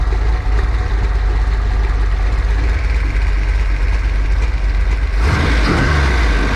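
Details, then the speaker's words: Ford 408 small block Windsor stroker fired for the first time after a nine-year build, warm, on break-in oil with about two hours total; deep, steady rumble with no knocks, ticks or misses, sounds good, normal healthy idle. "sounds good running the car that's for sure"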